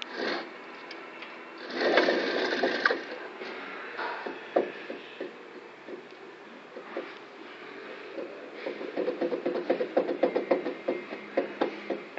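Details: GMC Safari/Chevy Astro with wheel and caliper removed, bare hub turned by hand: rough, gritty scraping and uneven clicks, the whole hub moving, from a very bad wheel bearing.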